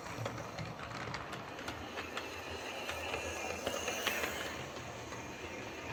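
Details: Hornby 08 shunter model locomotive on the layout after repair (connecting rods bent slightly to clear the brakes): quiet, even rolling with faint irregular rail clicks, no repeating mechanical tick; clicking fixed, runs smoothly.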